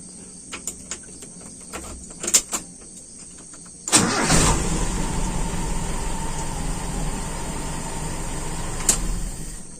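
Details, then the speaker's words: Engine with a long-cranking-when-hot problem, hot start done without AC on: a few clicks, a brief crank, then it catches at once and settles into a steady idle; normal hot start. "Oke, sepertinya aman."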